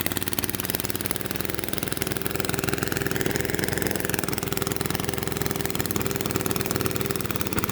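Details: Lawnmower engine that sat at least five years, carburetor replaced, fresh oil and fuel: uneven, lumpy idle beat that never settles smooth; rough idle, cause not obvious.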